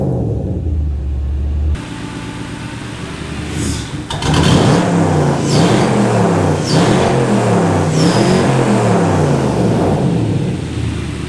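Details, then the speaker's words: Ford Capri with Mercedes M113 5.0 V8 swap, exhaust leaks, no smoke or misfires: V8 revs unevenly with surging, wavering pitch and stumbles between blips because the fuel table is not yet tuned. "The fuel table isn't tuned yet, so it will stutter and"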